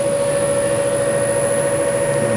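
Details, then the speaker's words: Three-phase induction motor on a star-delta starter after switching from star to delta connection: a sudden loud, steady hum at one fixed pitch, with no surging or rattle, as torque increases. Normal delta running. "Gumana yung ating Y connection. Pansin niyo, medyo light lang yung ano niya, light lang yung tunog niya. Hindi siya ganoon parang kabilis."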